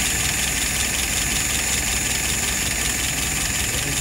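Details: Engine #4, restored, tested and adjusted, with no drips or issues: steady, even idle with a smooth beat and a bright mechanical hiss on top; healthy and ready to go home.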